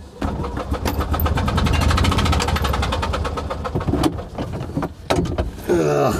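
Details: Invacar (TWC) while being driven: engine chuffs unevenly with a loud popping puff and cuts out as a spark plug blows out of the cylinder head; the damaged plug threads won't bite on refit.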